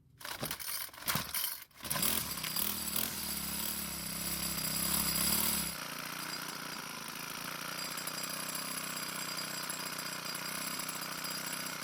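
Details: 4-cycle string trimmer (model 41EDT57C966) after replacing a soft plastic part so the flap seals: a few pulls catch, revs up, settles into steady even idle; starts and runs properly after slight idle speed adjustment.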